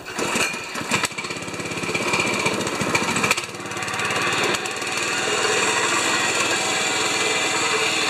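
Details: 196cc petrol plate compactor, found overfilled with oil and refilled, starts a little rough at full throttle. It then settles into a strong, even, rapid thumping and sounds healthy: normal running.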